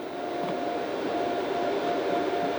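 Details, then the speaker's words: Boat battery charger (24 V, charging at 70 A) as the last battery is connected: even airy whir with constant thin tone, no rattle or wobble; cooling fan kicks in and runs normally. "And then it'll start charging, you can hear that. The fan kicks"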